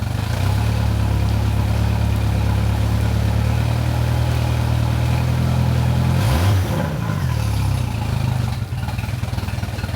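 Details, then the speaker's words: Mercury Pro XS 115hp 2.1L outboard on a Mako 18LTS after a 100-hour service with the lower unit removed and refitted. Shifted into forward and reverse: steady drone, a brief dip as it drops into gear, then smooth running with no grinding or clunking. "you'll see here I'm putting the motor in forward and reverse I'm making sure that works properly that we didn't knock anything out of place when we remove the lower unit there's no grinding there's no clunking everything sounds good to me"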